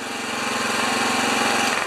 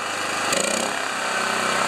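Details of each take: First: Honda EB2200X generator idling with no load in auto low-idle mode, steady low speed with an even slightly buzzy beat; previously wouldn't start or stay running. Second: Honda EB2200X generator with auto low idle switched off, running unloaded: fires after a brief crank and holds a fast, high-pitched steady drone. The governed speed is set too high and was later turned down to 3400 rpm.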